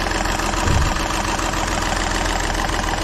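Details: Volkswagen Polo diesel idling rough and harsh, uneven clatter over a low drone, also giving a starting problem; contaminated diesel upsetting the injectors, diesel filter to be changed.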